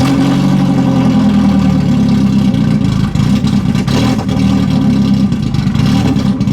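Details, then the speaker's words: 1991 BMW 318i that sat for years, first running: a loud, lumpy idle that hunts and stumbles. Unplugging the MAF sensor made it run more stable, so the owner suspects the MAF is bad or needs cleaning. "That sounds absolutely terrible. Okay, so I actually unplugged the MAF sensor and it's actually running a lot more stable and better. So I think that one, we have a bad MAF sensor, or at least it needs to be cleaned."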